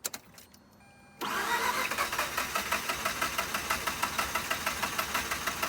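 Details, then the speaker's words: Mazda RX-8 rotary that shut off while parking, running on fuel-injector-cleaner mix after sitting, battery kept on charge; starter churns about three beats a second with ragged uneven firing and smoke but never catches; crank-no-start, owner suspects flooding. "It's starting a little bit more livelier. I was keeping it on charge while I was gone. Smoking a little bit. Just can't get it to catch. Chugging along, smoking."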